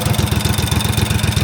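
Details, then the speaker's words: 20-year-old Snapper zero-turn mower (2005, 1,500 hours) with uncontrolled revving, after bracket adjustment, choke open: low uneven chuffing pulses about twelve a second; rough, unsettled idle. "I don't know exactly what that does, but I mean, it's making it idling really bad."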